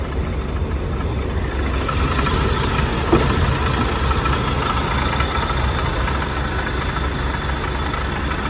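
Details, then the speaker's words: 1979 Hurst/Oldsmobile Cutlass W-30 V8 with original mileage, warm start, idling with the hood open: deep, lumpy idle with an uneven knocking through the rumble; cause unknown. "for anybody that's unfamiliar that lovely knocking sound is courtesy"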